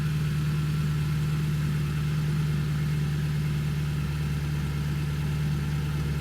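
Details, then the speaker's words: Infiniti M56, VK56VD V8, engine cold with temp gauge at minimum, idling; constant airy rush over the deep idle as the radiator cooling fan runs when it shouldn't, fixed by replacing the failed right-side cooling fan module; fan running constantly. "i can hear it over the engine and exhaust yep it's running again so some people would wonder what's the problem with your cooling fan running"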